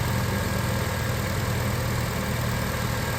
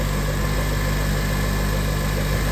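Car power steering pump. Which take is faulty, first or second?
second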